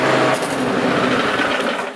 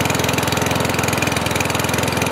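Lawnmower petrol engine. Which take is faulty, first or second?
second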